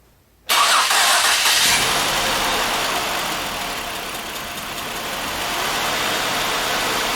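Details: 2005 Ford Freestyle 3.0 L, after intake manifold removal and reinstall, coolant refilled, for a number-one cylinder misfire: catches instantly and settles into a steady, even idle with no stumble; runs smoothly.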